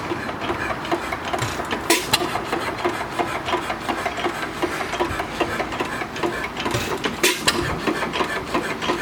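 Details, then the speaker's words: Small antique engine, the owner's only running one, on a homemade buzz coil, run gently with spark set so it doesn't fire too hard: regular ticking with sharp knocks every few seconds; knock developed since purchase despite greasing, cause unknown. "she has a little bit of a knock it didn't do that when I first got it but it's developed it since I've had it"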